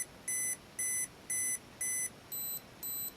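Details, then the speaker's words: Olympus XA2 35mm compact camera on button-cell batteries, self-timer test; evenly spaced beeps about twice a second with blinking light, then higher-pitched beeps before the shutter trips, working correctly. "I hear beeping, and you can see the blinking light, so we'll watch it cycle"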